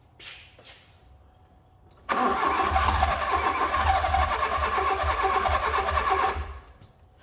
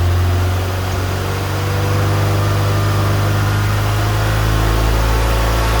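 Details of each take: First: Fiat Punto GT long unstarted, good spark confirmed with plug tester; starter cranks steadily about four seconds with uneven puffs but never catches; owner suspects fuel; crank no start. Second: Fiat Punto GT idling on fresh petrol after it had stopped, which owner assumed was empty or dodgy fuel: steady low hum with even rhythm, no stumbling or ticking; running smoothly.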